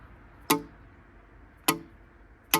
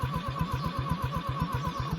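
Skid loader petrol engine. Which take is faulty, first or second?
second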